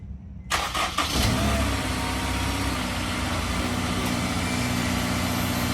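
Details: Honda S2000, about 55,000 miles, after fluids, repeat start after sitting about 7 hours checking reported start-up rattle; short crank catches at once, steady even idle, no rattle: clean healthy start.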